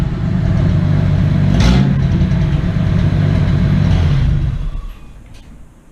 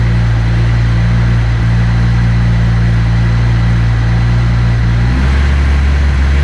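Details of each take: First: Engine with the disintegrating catalytic converter cut off, now running headers to a couple feet of pipe after a fuel injector replacement: a loud, deep, unmuffled rumble that holds steady then dies away. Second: First start after replacing the fuel injectors with OEM-spec parts: it cranks right up and idles high briefly, then settles to a smooth, steady low idle with a clean rev, no stumble or fuel leaks, a normal start.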